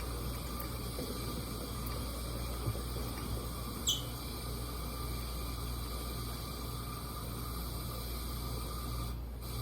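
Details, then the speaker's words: Coleman 502 one-burner camping stove, about 50 years old, cold January day, fuel heated through the generator: steady, even hissing roar with a low hum and no sputtering or surging as it reaches a clean blue flame. "And what you're shooting for is that blue flame. And you can hear it when it starts doing good."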